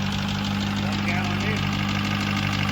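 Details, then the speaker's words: LS engine with the head gasket replaced by JB Weld, idling while warming up: steady idle with a light, even tapping in time with the engine, pistons touching the cylinder head from too little clearance; runs smoother, has compression. "yeah I mean it's running noise you're is not good but the way the motor's running sounds great it sounds great definitely smoother a little one couple little ones"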